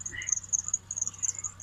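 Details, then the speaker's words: Chevy Tracker engine at idle: loud high thin squeal chirping rapidly and steadily, constant and worsening over time, from the accessory belt tensioner pulley bearing; replacing the tensioner quieted it, idler pulley wasn't the problem. "Let me, though, show you what kind of sound this thing is making. It just drives me nuts. So there you go. That's the sound of her. Oh, it's just very loud and all the time. It gets louder, by the way. It really does."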